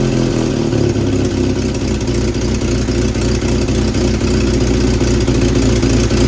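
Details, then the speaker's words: 1967 Volvo 122 Amazon, abandoned 35 years: rough uneven idle with fast puffing tick on the exhaust note from a hole at the manifold flange that won't seal, before fitting a new 2-inch sport exhaust; exhaust leak. "has made a lot of noise from the hole on the flange here. I've not been able to get it sealed up."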